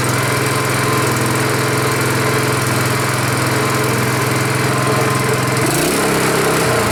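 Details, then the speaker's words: Honda 5.5 HP single-cylinder engine after rebuild, first start: steady even putter at low settled idle, no knocks or misses, idle lower and better than another engine's; normal idle. "Seems to work pretty good. Idle's better than another one. Lower. That's good."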